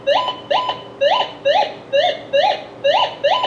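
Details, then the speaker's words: Minelab GM 1000 (Gold Monster) metal detector, indoor table test, copper wire swept by hand across the coil: clean rising warble about twice a second, sounding the same from both sides of the coil; normal copper target tone. "This is a piece of copper wire in my hand. It sounds the same going both sides of the coil."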